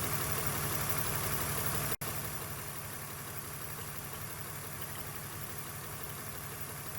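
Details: BMW E46 straight-six at warm idle after replacing the failed upper radiator hose and refilling coolant: even, regular beat holding steady with no knock, hiss or gurgle; coolant temperature steady, head gasket damage not yet ruled out.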